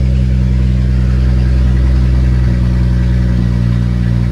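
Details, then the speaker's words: BMW F30 335i being rebuilt, first cold start with exhaust disconnected, open downpipe: loud, deep, even drone with steady exhaust beat, no knocks or rattles, no leaks; normal cold start idle. "Cold start actually sounds pretty nice."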